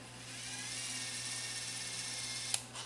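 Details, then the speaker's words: Vintage Sony TCD-D3 DAT Walkman being overhauled, AMS track search tested. Thin steady high-pitched whir of fast tape spooling, then a soft click as it stops: search works normally. "let's try AMS uh where's AMS on the front on here see if it finds the next"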